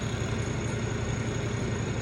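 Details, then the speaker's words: Two-tub washing machine whose spin dryer knocked "taca taca" before, heard after a home repair: steady low motor hum with an even pulse and no knocking. The spin dryer now runs quietly. "ahí la tenemos funcionando en cuenta silenciosa estamos Pepe Luche"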